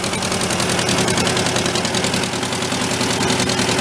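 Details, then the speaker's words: Homemade Volkswagen air-cooled engine tractor, restarted after long sitting and oil-leak teardown, cold idle: rough with sharp rapid puffing tick three to four a second; exhaust leak suspected in header pipe, manifold thought intact. "I don't think we got a hole in the manifold kind of sucks I think that header pipe in there has got a leak somewhere"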